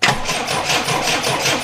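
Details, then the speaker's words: Triumph Dolomite after refitting camshaft cover and setting static ignition timing: starter cranks evenly about four pulses a second but engine never catches; spark tester on number 1 HT lead shows no spark at the plugs, coil next checked. "Well, we definitely don't have a spark going to the plugs."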